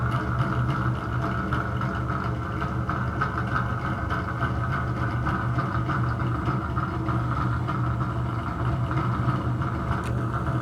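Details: Bathroom exhaust fan running noisy: constant low droning hum with rough rumbling edge, steady speed; owner suspects bad motor or fan bearing, particle-board-like debris (not dust) fell out when opened.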